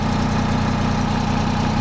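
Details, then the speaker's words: 1975 Peterbilt 359 with a Detroit 12V71 V12 two-stroke diesel, restarted after sitting about 15 minutes to check fuel prime; a dense, even drone and steady low beat with no out-of-fuel stumble, misses or knocks, a healthy idle with slight slobber. "wow that's what we're looking for no stumble I was waiting for that like out of fuel stumble Bo that's running nice"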